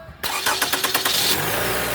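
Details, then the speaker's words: Toyota Camry 4-cylinder no-start (dash lights on) bypassed by running the starter directly with ignition on: starter churns about six even pulses a second, then engine catches and settles to steady idle; starts normally. "And so what it's gonna do is just run a starter motor."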